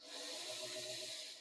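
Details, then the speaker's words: Penn Line HO scale GG1 locomotive, shell off, missing its drive shaft, given track power: short even high-pitched whir with no load; motor spins freely and runs but the loco cannot move. "That's actually shocking. Obviously, it's not going to move, but it is running."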